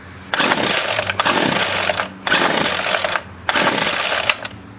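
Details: Featherlite 25cc string trimmer after carburetor cleaning and new fuel lines: three throttle bursts with revs flaring raggedly and dropping to a weak idle; high and low mixture screws still need adjusting, not done for lack of the special tool.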